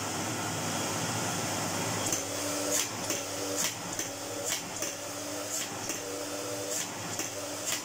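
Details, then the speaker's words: Kelner 1400 cylinder vacuum cleaner, possibly mid-to-late 1980s: steady motor whir with a sharp tick about once a second, heard as brushes ticking on the commutator while running down; slight ozone smell, owner suspects motor partially burnt out. "yeah there's a distinct tick there i have a horrible feeling that the motor might be partially burnt out because there's a slight ozone smell and there's a real tick you can hear the brushes ticking on the commutator when the motion runs down"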